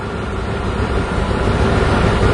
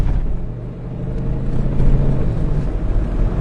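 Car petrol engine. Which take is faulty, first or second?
first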